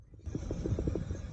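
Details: Chevy Silverado worn front wheel bearing/hub heard as the hub is spun by hand: rough pulsing rumble with a quick gritty beat, hub loose; the other side is quiet. Fix: hub assembly replacement.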